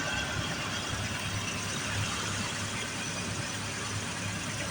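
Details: Carbureted V8, cold start in winter after battery swap: steady even idle with smooth low rumble, choke off and throttle settled down; no misses or knocks, running healthy.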